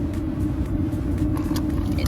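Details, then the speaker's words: Airstream trailer Atwood propane water heater after cleaning out soot caused by a wrongly adjusted air mix: even, soft low roar with no popping, pinwheeling or whistling; flame now mostly blue, burning smoothly. "it's not popping there's no pinwheeling that sounds smooth and it does sound smooth much happier with the way that sounds"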